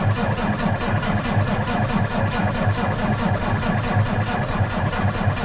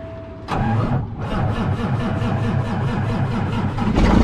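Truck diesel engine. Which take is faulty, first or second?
first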